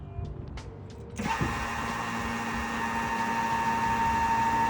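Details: Foxbody Mustang with turbo 1JZ swap, old in-tank fuel pump (possibly a Walbro unit) run with the feed line disconnected from the filter into a gas can: pump kicks on after a second and holds a steady, fairly loud whine with a faint hum underneath.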